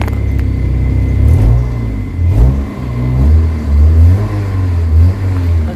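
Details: Kia Pride after XADO engine treatment for white smoke, vibration and low power; smoke gone. Engine revs up and drops back cleanly several times, prompt throttle response with no stumble; smoother note around 2,200 rpm. Normal revving.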